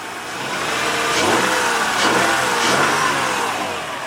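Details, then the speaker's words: 2004 Honda Pilot with about 300,000 miles, just after an engine swap, run to open the thermostat: smooth, even revs rise and fall cleanly with no knocks, misses or rattles. The engine sounds healthy. "that thing sounds good for 300,000 miles"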